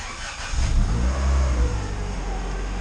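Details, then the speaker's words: Freshly installed turbo Honda engine in EG hatch, untuned, first runs after vacuum-leak check; blips cleanly from idle, rising and falling smoothly without misses or hesitation. Idle wandered slightly at first start, then very steady once running. "When you initially fire it up, the idle moves a little bit, but after it's been running for a little while, this thing just runs buttery smooth, like super steady idle, everything."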